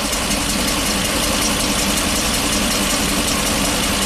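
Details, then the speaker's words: 2012 Ford E450 bus, V10 with replacement engine, ignition coils pulled for testing: loud idle with an uneven, stumbling beat; cylinders 5, 8 and 9 dead, cylinder 10 intermittent, runs worse with 5 not contributing; misfire. "Eight and 9 are still bad. Ooh. So did something change with cylinder number 10 when we put the ignition coil in there? It's definitely running worse since number 5 is now not contributing."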